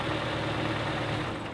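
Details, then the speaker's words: Toyota RAV4 with over 100,000 miles, after an oil change: smooth, even warm idle with only a faint light valve tick, normal for the mileage; earlier noise gone and oil light no longer coming on. "and lo and behold a lot of that noise is gone you can hear a tiny bit of valve but hey that's normal for a car with over a hundred thousand miles"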